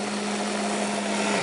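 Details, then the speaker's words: $100 countertop blender making PayDay ice cream: chunks grind, then an even motor whir with constant hum and no chunk rattle before winding down; smooth blend, mix ready. "You can hear the chunks, and you can hear when they stop, and you know you're ready."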